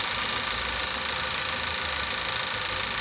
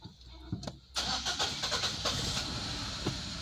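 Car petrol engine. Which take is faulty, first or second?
second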